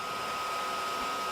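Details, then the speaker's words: Amiga 2000 in a PC tower case, first power-up after cleaning: thin constant high whine with rough airy rush from the small fan under the accelerator module, which is pretty broken; failing cooling fan. "The fan noise that I was getting, I can show that. That is actually coming from the accelerator module, and I totally forgot that actually features a fan, and the fan is under here, and this fan is pretty broken"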